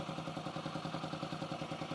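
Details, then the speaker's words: 2008 Yamaha XT125R Big Wheel, first start after 12–15 years of storage, with the carb cleaned and a new battery and plug: a quiet, even single-cylinder thump with no top-end ticking or rattle, so oil is reaching the head; healthy idle. "The engine's very quiet. Top end, if there was an oil, I'd be typically now on a Norton or BSA or my Triumph be looking for an oil return, but clearly on these modern Yamahas you don't get that. So if oil wasn't getting to the head, it would be noisy by now."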